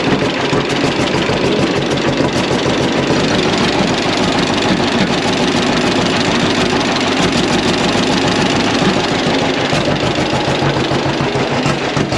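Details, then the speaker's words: Barn-find John Deere Model A (36 model) antique two-cylinder tractor, hand-started by flywheel with compression release and choke, just after valve clearance (tappet) adjustment: slow, loud steady popping without misses or backfires; sounds really good after the adjustment. "we got our valve adjustment made and started the tractor up, and you got to hear it run there. Sounded really good after making this valve clearance adjustment and or tappet adjustment, however you want to say it."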